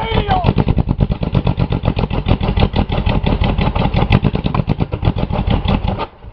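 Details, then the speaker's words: Buick 3.8 3800 V6, already blown with one connecting rod removed, oil pan refitted over a holed block and little oil, restarted after cooling: revs to the moon, heavy violent clatter around seven to eight knocks a second, sounding like another rod thrown, then cuts out. "oh oh oh oh that rev to the Moon right away sound like it threw another Rod you hear I heard another cylinder d oh"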